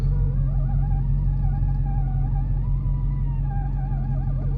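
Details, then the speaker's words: Car creeping slowly in reverse with the transmission cold: a wavering, moaning groan over a low rumble, seemingly from under the shifter; absent in forward and once warm. Cause was the driveshaft carrier bearing's defective, separating rubber boot. "When you put it in reverse and just go back slowly, there's a sound. It sounds like it's coming from underneath the shifter."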